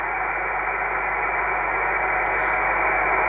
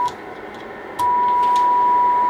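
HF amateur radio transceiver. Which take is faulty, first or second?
first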